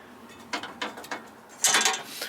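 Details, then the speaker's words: LB7 Duramax dually truck, driveshaft rocked by hand: loose metallic clunks and gritty rattle from a worn carrier bearing that also grinds loudly when driving; replacement planned. "but my carrier bearing needs to be replaced because you can hear it and I don't like to drive my vehicle um I don't like to drive the duy because it does make a lot and a lot of grinding sound from there"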